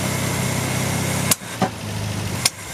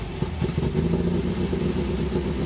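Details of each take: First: 1974 MGB engine warmed up. It ran well on choke, but once the chokes opened it sharply popped and backfired out the intake, stumbled and died. A blown intake gasket vacuum leak is suspected; the owner also suspects the big jets need smaller air correctors. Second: MGB that had been running very poorly, after the carburetor was tuned and a new fuel filter and fuel line fitted: a steady low rumble with no ticking from the top end, normal valve train noise.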